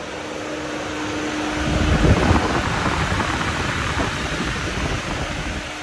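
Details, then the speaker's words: Pontiac Fiero radiator cooling fan after replacement, wired to the ignition: even rushing airflow that swells as the fan comes up to speed, with no scraping or wobble; the new fan runs normally and quietly. "as you can see blows a properly high amount of air you can feel it from here and it's not too loud it sounds like any modern car"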